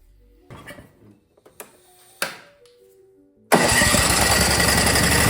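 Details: Snowblower first start on electric starter after installing an eBay replacement carburetor and new spark plug: a few light clicks, then the engine catches immediately and settles into a strong, even fast run; runs fine.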